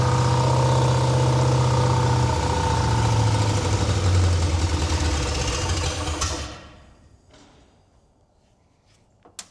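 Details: 1968 Buick Skylark GS California, long-sitting, with a later Buick 455 V8 swapped in, started on fuel poured in the carb: fires and runs evenly through a few blips for about six seconds, then dies as the fuel bowl empties; no knocks or misses, no smoke.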